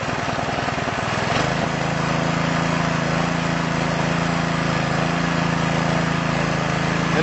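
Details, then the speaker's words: Small engine after carburetor overhaul, started on choke: pulls over, catches after about 1.5 seconds, then holds a smooth, steady drone without surging or misfires, running normally. "there you go, you can see it runs just like a top, just like it's supposed to."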